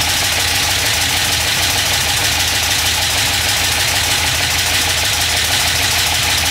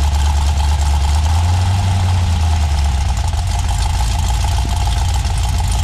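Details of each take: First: LS 6.0 V8 (2000 Silverado harness) first start: harsh rapid ticking clatter, about three hits a second, on passenger-side bank; dipstick end caught the windage tray and was struck by the crankshaft. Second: GM 6.0 LS V8 on a stripped-down truck harness, after the dipstick caught under the windage tray was pulled out, straightened and refitted: a steady, even low idle rumble with no knocking or scraping; the engine sounds smooth.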